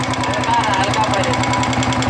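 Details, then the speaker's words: Royal Enfield Bullet 350 Electra, after cleaning and refitting: light, quick tak-tak ticking over idle that speeds up and slows with engine speed, quieter than before but still present; valve tappet noise. "जो टक टक टक टक टक आवाज आ रहा है इसमें इंजन के साथ अगर इंजन फास्ट कर रहे है तो फास्ट आवाज आ रहा है स्लो कर रहे तोलो आवाज आ रहा है"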